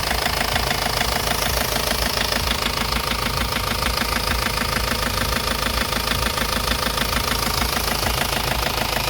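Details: Ford Focus Mk1 1.8 TDDi diesel at idle: hard, evenly spaced knock about twice a second, louder than normal diesel clatter; engine knock, reported solved.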